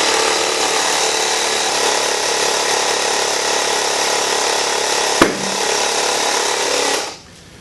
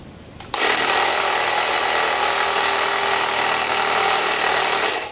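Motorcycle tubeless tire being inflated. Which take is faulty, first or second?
second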